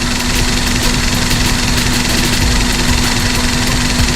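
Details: Daihatsu Sirion petrol engine with check engine light: loud uneven, shaky idle with faint irregular stumble, misfire; scanner found no error, ECM malfunction later blamed, wiring should be checked first.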